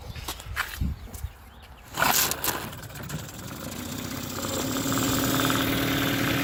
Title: Mercury 15 hp outboard backfiring/misfiring